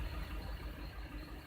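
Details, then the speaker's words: 2005 Audi A6 saloon with check engine light on, misfire at idle: low idle with a faint stumble about every fifth of a second as one cylinder drops out; scope shows no firing on coil 3, so a bad coil is suspected over poor computer control. "Coil number 3, nothing. So basically, either we have a bad coil or poor control of this coil by the computer."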